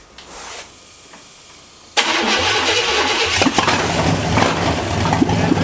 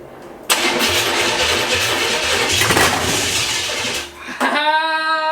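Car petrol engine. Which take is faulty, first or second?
second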